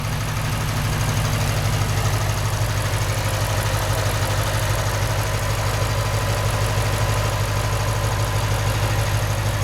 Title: 08 ISF idle ticking noise (normal)